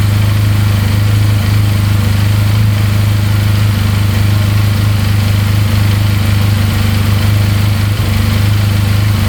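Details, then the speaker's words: 2022 Benelli 302S motorcycle after a simple fix, fired up instantly, idling at 1700 rpm; steady, even engine drone with no knocks, rattles or misfires, top and bottom end sound good. "Fired up instantly. Look at that. Idling at 1700 RPM. No knocking in the top end. Bottom end sounds good."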